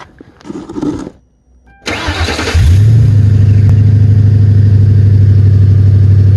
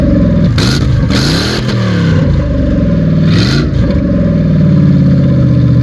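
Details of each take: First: Ford Crown Victoria after the exhaust was finished with cherry bomb mufflers and gutted cats, hangers fitted: it cranks, catches and settles into a smooth, even low idle with a soft, quiet exhaust note. Normal idle. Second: Ford Crown Victoria before its exhaust was finished: a deep, loud, raspy engine note rising and falling with throttle blips. The exhaust is open, and the system is not yet fully installed.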